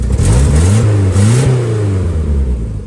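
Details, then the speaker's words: Sonoma truck with turbo, after exhaust repair and refitting turbo blanket, broken sensor refitted as plug: deep even exhaust rising and falling with revs, no ticking or blowing, quieter, sounds like a car now; still makes a lot of smoke. "Sounds like a car now. Instead of um whatever it sounded like before."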